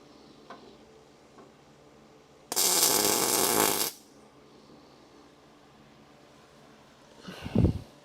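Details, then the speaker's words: MIG welding on a Crew Cab Charger's frame rails: about a second and a half of steady, even sizzling-bacon crackle with no popping or breaks, showing a consistent, correctly set-up weld. "That it should sound like sizzling bacon. That's what everybody tells me. And it should be consistent."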